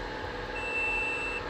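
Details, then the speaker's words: GMC Acadia with no crank, no start and no communication after the transmission was removed and reinstalled: a steady high continuity beep over a faint hum shows the wire to DLC port pin 14 is intact. "Ayun on number 14. Meron din eh"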